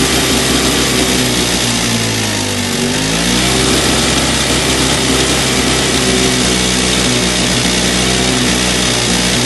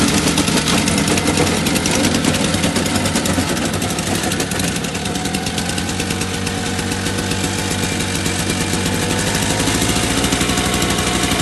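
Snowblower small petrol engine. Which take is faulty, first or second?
first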